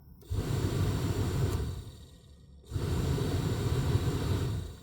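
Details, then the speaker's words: 2015 Audi Q5 blower motor that had never spun before runs on battery connection: a low, airy whoosh starts, drops out, returns, then barely spins; intermittent blower motor operation. "Okay, that's actually new. It has never spun for me before. That is new."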